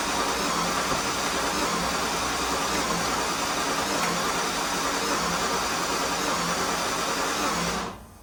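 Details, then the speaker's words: Jaguar XJS on its first start attempt after priming the fuel rail, with the trunk fuel pump heard. The starter cranks steadily for about eight seconds but it never fires and fuel is smelled; coil wiring and injectors are to be checked. "And turning the key. We got nothing. Huh. I smell fuel."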